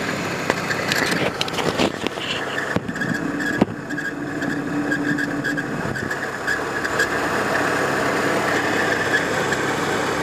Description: Engine Squeak/Noise from 1993 Volvo 850 engine, most likely a bad pulley (idler or timing tensioner).